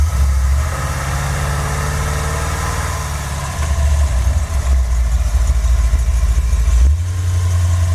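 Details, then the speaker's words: Engine fitted with a used Edelbrock 650 carburetor, choke not hooked up and air flap not adjusted, driven uphill in gear at hard throttle: a deep, steady drone climbs and holds with no stumble, popping or misfire; it pulls cleanly. "I'm just going to give it some gas. Like I'm taking out kind of extra fast. See what it does."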